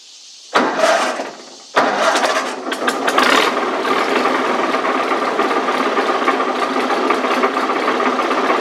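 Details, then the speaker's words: Second Massey Harris model 30, fuel shut off and run dry so the float bowl must refill. It catches after cranking and runs rough with a constant rumble underneath. The rumble is a worn throw-out bearing, noisy since an engine rebuild about 15 years ago and steadily getting worse. "That rumbling you're hearing is a throw out bearing. Um, I did a total engine rebuild on this thing."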